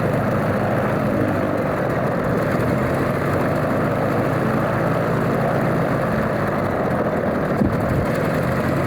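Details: Alvis Leonides Mk 25 radial engine in a Percival P.56 Provost trainer on a ground run: even, steady low drone with the propeller turning over evenly and no misses or stumbles, a healthy normal idle.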